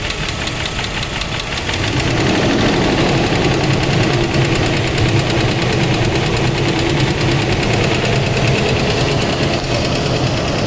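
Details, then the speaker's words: Mercedes W140 S500 V8 at idle after switching to Rotella oil and a long trip, before Rislone additive: loud steady light tapping about three a second over rough idle; owner suspects a lifter, valvetrain tap. "so as you guys can see that is absolutely terrible it started to tap loud"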